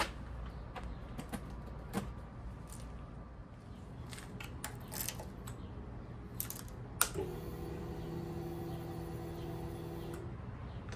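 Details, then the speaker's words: GSXR fuel-injected motorcycle, 3,67 miles shown, bought non-running after rat infestation, on jumper battery, key turned on: a few clicks then steady electric whir about three seconds cutting off cleanly; healthy fuel pump prime. "fuel pump sounds really, really good."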